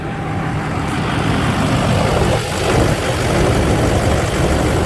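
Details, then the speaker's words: Duramax diesel idling after replacing a failed aftermarket power steering pump, during bleeding with foam still in the fluid: steady low clatter, no whine or groan; new power steering pump running quietly. "That foam will eventually come out of it, but the pump's not making any noise, so that's all I care about."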